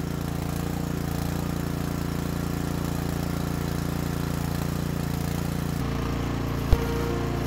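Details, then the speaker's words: Nearly new Cub Cadet snow thrower, used once, after carburetor cleaning for bad stale fuel, outdoor test run. Small single-cylinder engine holds a steady, even putter with no misses or surging while the augers eat snow. Normal running, good to go. "augers are working wonderfully eat snow up so that can only mean one thing it looks like another one is good to go"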